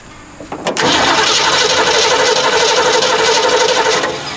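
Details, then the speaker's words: 1969 Ford Mustang coupe left sitting for years, first key turn on battery: starter clacks in then cranks steadily about four beats a second, engine turning over freely; strong spark found afterwards. "all right batteries on let's see what happens when we turn the key very nice sounds good"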